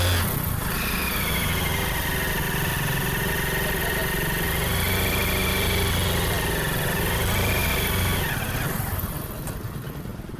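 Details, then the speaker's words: Hero Splendor riding in gear: wavering high "sai sai" whine like first gear, rising and falling with speed, absent when merely idling; cut, worn primary gear teeth. "इसके दांते देख लो, ये वाले, ये दांते cut जाते हैं। उसकी वजह से क्या होता है कि जब हम बाइक चलाते हैं तो ये गिरारी आवाज़ करती है, ये वाले साई साई फर्स्ट गियर के जैसे।"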